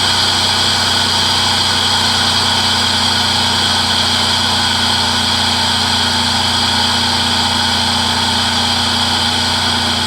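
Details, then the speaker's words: 2006 Chrysler Pacifica 3.5 after serpentine belt pulley repair: steady, normal idle with loud airy intake hiss from the open throttle body (air box off); the loud squeal, blamed by the previous owner on the power steering pump, is gone. "only thing you can hear now is the throttle body because the air box is off but squeaking noise is gone"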